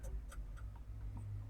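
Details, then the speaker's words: CAT C7 ACERT diesel with HEUI injection in a CAT 535C grapple skidder, crank-no-start: key on, engine silent, a relay clicks steadily about four times a second over a low hum while the glow plug light flashes; faulty ECU suspected. "And the glow plug light is flashing and relay is clicking. Just in a second, I will show you what that clicking is all about. That's not normal."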